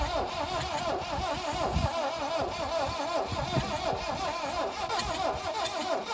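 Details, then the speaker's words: 1972 Plymouth Cricket (Hillman Avenger) sitting since 1989, starting spray used: sluggish uneven cranking under three turns a second with odd catches; battery sat six months and is weak, but engine tries to fire, has compression. "Okay, it's trying to. Battery doesn't sound real hot. It's been sitting for 6 months."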